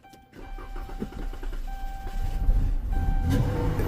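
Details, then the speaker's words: Car that won't start, cranked with throttle-body cleaner sprayed down the intake to simulate fuel: uneven cranking catches and runs roughly for a few seconds; no fuel delivery, suspected failed fuel pump pending check of its power and ground. "Yep. Yep. Y'all know what that mean? We got a problem with the fuel pump."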